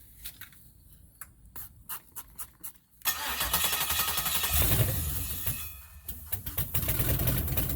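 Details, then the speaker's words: 1969 Camaro, old engine, started with fuel sprayed into the intake and a remote crank device: clicks, then it catches and runs with a steady low rumble that rises and settles. "so here we go i'm going to fire it up like i said i'm just going to be spraying some fuel into the intake right here and then i crank it with uh this little device right here"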